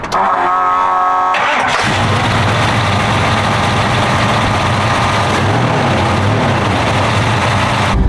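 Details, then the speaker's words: Big, radical-cam engine with no choke, now on a Holley Brawler 950 CFM double-pumper carb that replaced an old 1000 CFM Holley race carb, in cold conditions: the starter whirs about a second, then it catches cleanly into a steady, lumpy idle, a healthy cold start. "It's cold, I don't have a choke, it's a big cam motor, and it starts and drives fine."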